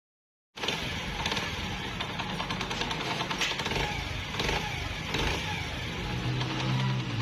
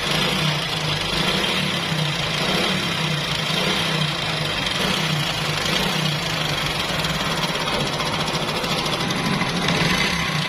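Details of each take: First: Honda CD 70 single after timing chain and rollers were replaced and timing marks realigned: even idle with no chain rattle or tapping over the exhaust putter; normal idle. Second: Honda CD 70 motorcycle at idle: fast, loose metallic chatter over the beat, about three ticks a second; loud timing chain rattle that persisted despite prior timing work, per the customer.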